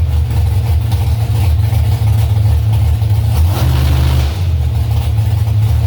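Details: Carbureted drag car after idle mixture screws turned out a quarter turn, in gear: loud revs stumble or miss around 3000 rpm then recover; owner suspects old spark plugs, fuel starvation from low tank suspected.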